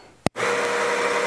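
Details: Baratza Sette 270Wi coffee grinder started with play after choosing a grind setting: a click, then the motor spins up to a steady, even mid-tone whir and stops cleanly. Normal motor run.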